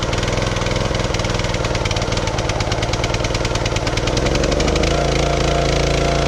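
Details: Wood splitter small single-cylinder engine after refueling (ran out of gas under load with hydraulics engaged); wouldn't start until stuck detent valve handle was freed. Runs fast and steady, even firing rhythm, settling slightly at end; runs normally.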